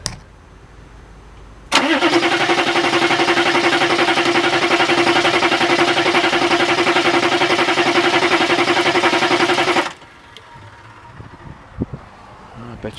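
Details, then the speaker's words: Diesel vehicle with fuel pump running but no fuel at the open bleeder: steady starter cranking about eight seconds without catching, intermittent start/no-start. "huh hoping the bleeder doesn't come out starts doesn't start I'm all confed"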